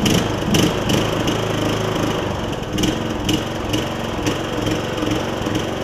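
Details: MTD Craftsman LT2000 riding mower after repairs to the drive and mowing systems, including belts and a pulley: single-cylinder engine runs steady under cutting load, light deck ticks and thumps, no belt slip or squeal; deck engages and disengages well, mowing normally.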